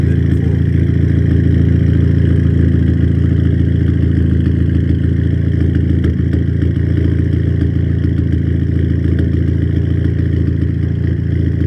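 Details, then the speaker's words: Audi A3 8P at idle after running about 5 minutes with the fans on, following a head rebuild, plug change and cleared codes. Uneven idle stumbling about four times a second with irregular shake, misfire varying and maybe worse; the owner hasn't yet checked fueling. "so that's with no fans on oh we're still miss far the uh see the fans on it's been running for about 5 minutes now it's still Mis [Music] firing almost wor than"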